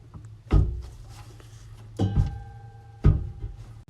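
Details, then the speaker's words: V8-swapped Volvo, replacement fuel pump and sending unit being fitted into the tank: three dull, hollow thunks about a second apart. The pump assembly is too long and bottoms out on the tank floor; it needs shortening. "It's hitting the bottom of the fuel tank. So I guess I have to shorten that somehow."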